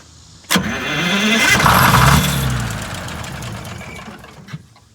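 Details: 1958 GM PD4104 bus diesel after decades of neglect, starting fluid sprayed in the intake: starter grinds and the engine churns with a brief surge but never catches and winds down; cranks without starting.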